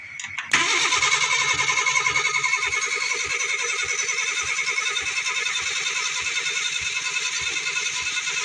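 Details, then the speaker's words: Vehicle called the "franger": starter churns steadily and never catches, cranks but won't start even with propane fed in; the owner suspects no spark. "what I can tell we're not getting any spark because I assume we'd get at least a couple tops off of uh fumes"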